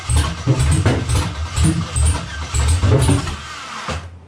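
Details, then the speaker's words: LS V8 after fuel rails were drained: it catches in uneven surges about twice a second, bucking and popping and running very rich with no settled idle. Injectors and coils were checked OK. Owner suspects cam timing is off. "We're still bucking and popping. It's not smooth. It is definitely very rich. Very, very, very rich."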